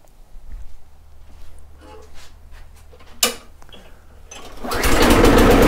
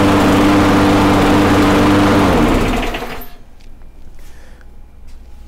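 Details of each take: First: Briggs and Stratton Quantum mower engine: after some handling it fires and holds a steady, high, screaming pitch far above normal speed; over-revving from a misadjusted governor. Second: Briggs & Stratton Quantum mower engine after governor speed adjustment (was revving too high): holds a steady high governed speed with even buzzing tone, slight spitting as carb needs tuning, then shuts down and spins to a stop; speed now correct.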